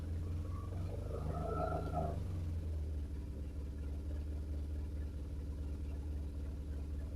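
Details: BMW R1150RT boxer twin, first run after clutch and starter motor strip-down rebuild, tank not yet fully refitted: low even rumble settling into steady idle after a brief blip, no knocks or misfires; sounded all right.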